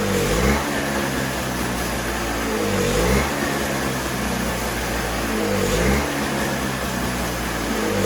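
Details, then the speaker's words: Toro CCR3000GTS snowblower (5 hp Suzuki single-cylinder) run with no fuel in the tank for storage: steady running that surges about every 3 seconds as it leans out on residual carburetor fuel. "Oftentimes there's residual fuel left in the carburetor, and as you heard, it ran for quite a bit of time, even without any fuel in the tank."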